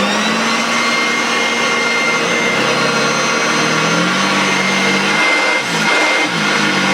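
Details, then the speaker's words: Hoover Junior 1346a upright vacuum, first run before refurbishment with a filthy bag: steady motor whine that sags and wavers in pitch near the end, with a smell of the belt slipping; slipping brush drive belt. "smell that belt slipping."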